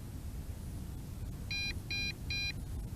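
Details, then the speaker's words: MJX Bugs 3 Pro GPS drone with the transmitter modded with a 2 W booster: three short high beeps about 0.4 s apart after a maximum-distance failsafe. This is the first-phase low-voltage warning triggering return-to-home, with the battery down to two bars. "beep is the first phase of low voltage so initially we got the maximum distance failsafe return to home now the first phase of low voltage return to home kicked in"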